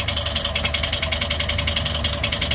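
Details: Toyota 1NR-FE engine at idle with a noise complaint: quick, even, light top-end ticking that never lets up, possibly lifters short on oil. Cause unconfirmed; engine being taken apart to check.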